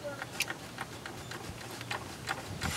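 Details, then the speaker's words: Kubota lawn tractor with engine still full of oil, jumper pack attached, briefly cranked on starter: uneven sharp knocks about two or three a second; owner suspects a blown rod, unconfirmed. "i believe there's most likely a blown rod in this motor it knocks i'm not going to turn it over i don't want to cause any more damage as you can hear the motors the motor's definitely blown"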